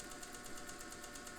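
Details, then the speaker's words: Singer 201 vintage sewing machine, mounted in a table, sewing with a shortened stitch: quiet, smooth motor hum with soft, even stitching ticks and very little vibration; normal running. "And there's really very little, if any, vibration. Of course, the machine is in a table. That helps, but it's just an amazing thing."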